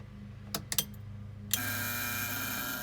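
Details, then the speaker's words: 1987 Mustang SSP that sat for a year and a half, battery on charger: a few sharp clicks, then a steady electrical buzz under the dash with the key forward. No crank, no signal under the hood, no relay or solenoid click; cause unknown. "that buzz is not normal sounds like there's a relay or something over there making some noise when i turn the key forward"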